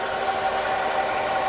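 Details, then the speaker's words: Used car, about 184,000 km on the odometer, idling: steady mid-pitched howl that doesn't change; abnormal sound, cause not yet known. "มันดูหอนๆยังไงไม่รู้นะ"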